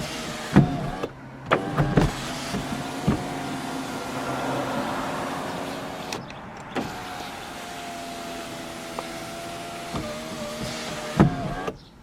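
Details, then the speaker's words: Toyota Camry sunroof after lubricating its track with silicone synthetic grease to cure a clunk on opening and closing; heard inside the car: steady, even motor whirr with only soft stop clicks; normal sunroof operation. "remember the clunk from before much smoother much nicer than it was just run it back and forth a couple times"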